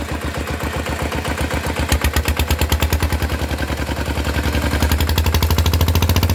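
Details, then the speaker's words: Single-cylinder engine with an RT injector swapped into an ET (non-DI model, injectors interchangeable), started and revved after fitting: even thumping that quickens smoothly, no misfire or knock; owner feels it accelerates strongly; runs normally. "ติดเครื่องแล้วติดเครื่องได้ปกตินะครับอ่ะฟังดูเสียงครับว่าเสียงมันต่างกันมั้ยให้ฟังอยู่เสียงรอบๆเดี๋ยวลองเล่นกันดูนะ"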